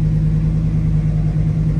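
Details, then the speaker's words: 1967 Chevrolet Camaro RS, carbureted V8 with Magnaflow mufflers, idling after a cold start: deep, steady, even low rumble with no misses, knocks or ticks; oil pressure solid, battery charging. "It is a carbureted car. Oh, that sounds wonderful."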